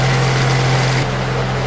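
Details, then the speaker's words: Honda Accord VTEC after timing and balancer belt replacement, test-started with covers off and crank pulley bolt finger tight: smooth steady idle, even hum, no knock or shake; balancer belts correct, normal idle. "And no vibrations, so I got those balancer belt on right too."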